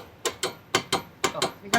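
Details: Car on an underbody shaker rig, microphone under the vehicle at the suspension: sharp paired clacks every half second following the shaker's strokes over a quiet background; worn stabilizer (anti-roll bar) link knocking.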